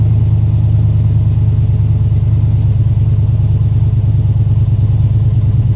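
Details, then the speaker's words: 2007 Chevy Avalanche V8, first start after DOD/AFM delete, Texas Speed performance cam, rebuilt heads and headers, DOD disabled and timing retuned in HP Tuners; deep, steady, slightly lopey idle, hollow header note during burn-off, no knocks or ticks; normal idle. "all right i always love that initial header burn off sounds pretty good you can definitely hear the hitters they always have that i don't know that hollow sound to him"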